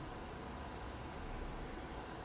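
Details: DIY 3D-printed soldering smoke absorber, 12 V 120x25 mm fan turned down via PWM speed controller to reduce noise: soft, even airy whoosh, no ticking or rubbing, still extracting well at normal soldering distance; fan healthy.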